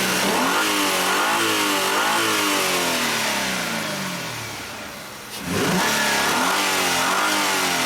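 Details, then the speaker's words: 2004 Hyundai Sonata 2.7 litre, after crankshaft sensor replacement for code P0335 and hesitation/power loss: engine revs up and down smoothly with a clean, steady note, no stumble; normal idle and revving, fixed. "once we replace the sensor everything looks nice this waveform is a lot cleaner so this vehicle is fixed guys"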